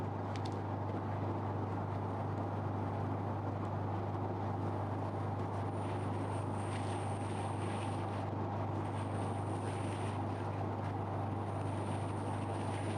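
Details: Photolithography spin coater, vacuum switched on to hold the wafer on the chuck before photoresist coating: steady low hum, no surging or rattle; vacuum pump running normally, wafer held firmly.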